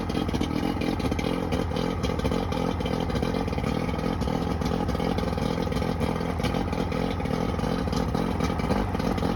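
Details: Johnson 90hp outboard: rough, loping idle with two starboard-side cylinders misfiring; carburetor starter fluid sprayed on both cylinders gave no response, so a bad power pack is most likely suspected.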